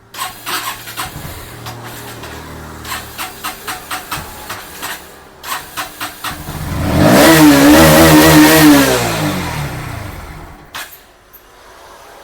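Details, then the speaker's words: Bajaj Pulsar NS160 BS6 that starts only at full throttle: repeated cranking, then it catches and revs briefly before dying when throttle is released, below 4,000 rpm; fuel pump clogged by water in tank. "நாம் த்ராட்டிலை விட்டவுடன் bike அணைந்துவிடுகிறது."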